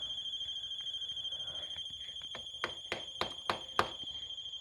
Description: I heard an alarm going off all of a sudden. If you know what it is, tell me because I've never had this happen before.